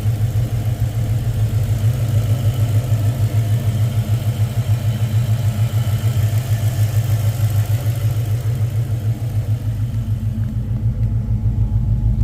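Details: 2000 Ford Explorer AWD with 5.0 L (302) V8: deep, steady idle with a low rhythmic thrum of about three beats a second; abnormal engine noise recorded for troubleshooting, cause unclear.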